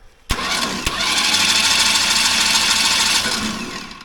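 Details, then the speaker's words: Pulling tractor after Waterloo breakage, spark plugs out, cranking to push oil through the oil line: harsh high-pitched whirring crank about three seconds with no firing; owner dislikes how the starter sounds, cause unclear. "That's I don't love the way that starter sounds, but crank on it just a little"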